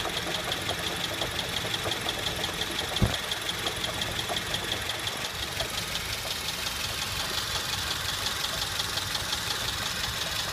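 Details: 2008 Honda Civic petrol engine idling: steady, fairly quick knocking about three a second, present from startup and worst back at idle after light revs, from a bad AC compressor bearing that later seized.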